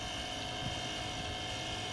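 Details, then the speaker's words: Power wheelchair seat tilt motor running in tilt mode after reassembly. Steady even hum with a faint whine and no grinding; the seat tilts slowly but powerfully, working normally. "when I try to gain now we can move the chair kind of slow but it's very powerful"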